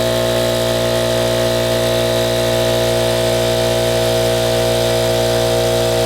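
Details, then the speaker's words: Ridgid air compressor, a parts find reportedly with a pop-off valve issue, running with a steady, even motor-and-pump drone as it builds to 160 psi with no knocks; it pumps up normally. "there you go 160 you said there's something from the pop-off valve but it looks like to me it ran just ran right up like it's supposed to"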